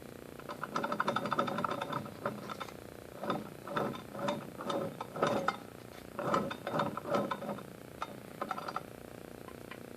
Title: rx50 motor with some bad bearings in there, yo